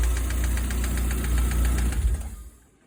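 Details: VAZ 16-valve engine after major overhaul: quick steady knock about four per second over idle, fading as engine shuts off; knocking engine.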